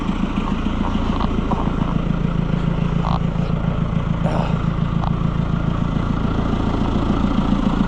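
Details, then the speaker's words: White 700 tractor after wiring fix, running after a month unused, warm day: steady, even idle putter about two beats a second, no misses or knocks; revving puts the charging light out, so it now charges. "Fires right up and not even smoke. It is warm today, but that thing has not run for a month."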